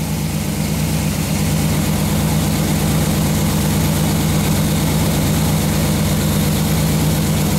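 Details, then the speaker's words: Chevy 350 V8 with Holley carburetor after break-in: deep, steady, even idle with a smooth low rumble and no knocks or misses, and no oil leaks; earlier coolant loss was from the thermostat housing and the temperature gauge reads wrong. "There's no oil leaks. I could listen to this thing idle all day"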